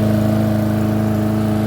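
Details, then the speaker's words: Yard Machine lawn mower after clearing sand from the carburettor, with a new filter and cover, warm after about 30 minutes running: one even, steady hum with no rise and fall; normal running, surging gone. "it's been running for about 30 minutes and if you can hear there's no surging whatever might have been stuck left in that carburetor worked its way out and there's no surging"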